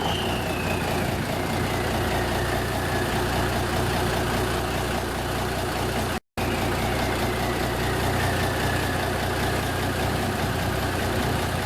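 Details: 1974 Kenworth W900A, Cummins NTA420 diesel, idling inside a building after three years sitting: even, rough-edged diesel clatter at a steady idle with no knocks or misses. Normal idle.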